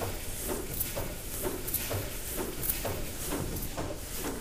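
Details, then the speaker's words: 1904 Robey & Co tandem compound steam mill engine from Sleaford Maltings, running on only two cylinders without condenser water: soft regular mechanical beats about once a second as it speeds up and the water clears out; running smoothly, working speed about 70 rpm. "Now, do you notice as the engine starts to speed up and all the water's gradually cleared out, you hear it starts to make its own just mechanical noise."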